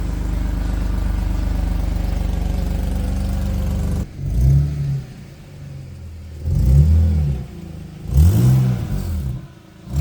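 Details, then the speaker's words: BMW E46 330ci after a 3.15 differential ratio swap: steady low rumble, then rough raspy puffing on revving from an exhaust leak found on the passenger side where the pipe joins the manifold. "Alright, not sure if you heard it outside, but there's definitely a noticeable exhaust leak somewhere. It sounds like shit."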